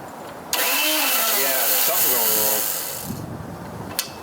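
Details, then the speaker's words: Craftsman 3hp 21-inch snowblower, Tecumseh two-stroke, electric start after carb rebuild and service, choke off after flooding: harsh whirring grind as starter spins about two seconds without firing, then fades; owner suspects starter gear, unconfirmed. "uhoh something wrong in there I think there's something wrong with this starter we have another one"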